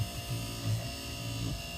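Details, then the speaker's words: Chevrolet Express/GMC Savana rear AUX blower motor, just disassembled and reassembled: steady hum with a faint rough buzz. Owner guesses a very short brush was stuck; brushes worn. Worn blower motor brushes. "I'm guessing that really short brush got stuck and wasn't moving. It's running right now, so it is a little bit of noise in it,"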